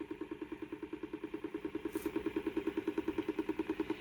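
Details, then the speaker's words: Homemade 3D-printed 5-pole magnet rotor with coil and Hall sensor, running at 13 V, 590 mA: steady throbbing hum pulsing about two and a half times a second; owner unsure of the cause, thinks it comes from underneath. "yeah i'm not really sure what's causing that sound yep not sure but anyway i wanted to get something out it's kind of cool even though it makes crappy sound"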